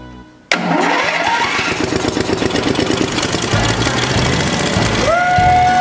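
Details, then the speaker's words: DR leaf vac engine, bought with missing parts, first start after being sandblasted, with the air cleaner still off: it catches at once after a short crank and holds a steady, even run with no misfires or knocks; runs normally. "Terral but you sandblasted it it's never gonna work ha ha in your face it works rekt nothing runs good"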